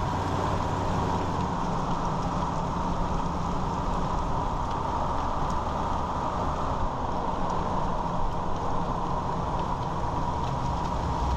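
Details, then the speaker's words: 2001 Ford Ranger 4x4 after rebuilding the front driveshaft CV joint: smooth even road drone while driving with no rattle or clicking from the front driveline; the slow-speed rattle is gone. "all right so as you're heard the noise is gone the rattling so yeah if you all have this problem I'll hear that rattling sound"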